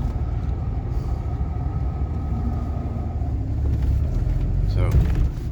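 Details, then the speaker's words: 2006/2007 Ram 2500 5.9L Cummins diesel, 6-speed manual, 4WD, about 23,000 miles, driving over a big dip and bump: steady low diesel rumble with no clunks; suspension tight and solid, no shock noise; normal suspension over bumps. "whole suspension is tight solid no noises no shock noise or anything like that"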